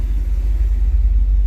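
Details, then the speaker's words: Freshly rebuilt Dodge 318 Poly V8 with new dual exhaust, no H-pipe: deep, steady rumble with even exhaust pulses and no knocks or ticks, good oil pressure, temp gauge not yet checked; healthy running. "but for now we're just gonna get her done she's running fantastic oil pressure"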